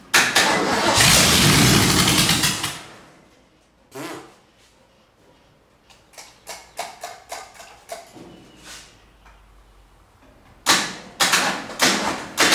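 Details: 1947 Ford truck rat rod, first crank after the build, started by jumping the starter solenoid: a couple of seconds of hard cranking that never catches, then short stabs and clicks; engine not starting.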